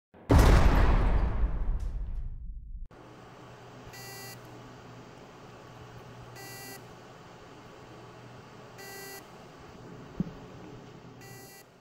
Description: This video shows the sounds made by a ST31000528AS hard drive with stuck heads.